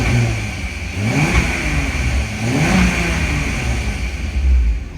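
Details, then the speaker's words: VW T4 Caravelle 2.8L V6 after a Permatex bandage patch on the rear exhaust pipe: two revs with a raspy, puffing edge that rises with each blip. Exhaust still leaking at a joint; rear pipe section needs replacing. "might be able to hear we've definitely got another leak somewhere um i think i've located it at a joint"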